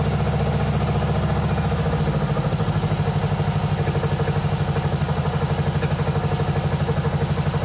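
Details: 1997 Mastercraft (MTD) 38" lawn tractor, 12.5hp Briggs & Stratton single, parked outside for years, fed from a hose fuel reservoir while low on oil: steady putter about two and a half firings per second, even and unbroken; healthy idle on choke.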